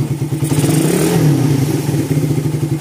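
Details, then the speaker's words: Suzuki Satria FU FL 2014 single-cylinder, bored up to 66 with porting two months earlier, came in with the kick starter seized. At idle and when blipped, a loose irregular clatter rides the exhaust thump: the engine's crank bearings are fairly noisy, whirring as the throttle opens. "Untuk mesinnya lumayan ramai ya. Bearing mesinnya lumayan ramai. Kalau digas dia seruangsuang."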